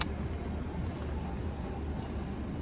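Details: 2008 Honda CR-V with the front stabilizer link removed, engine idling, steering turned to full left and right lock: steady low idle with no crackle or knock, confirming the stabilizer link caused the crackle.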